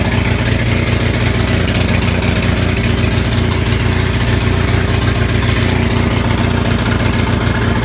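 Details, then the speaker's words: Onan 6500 (6.5 kW) gas commercial generator, no muffler, before repair: uneven, lumpy chugging with irregular pops, backfires and stumbles roughly every second; misfire traced to a severely fouled spark plug, with spark still present. "Okay, so if you just saw the video of this running like shit, I don't know if the backfire was coming out in the video. Sometimes the video doesn't capture that. But we just pulled out the spark plug here."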